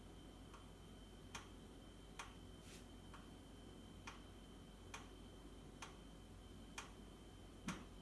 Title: Boxi boiler - knocking sound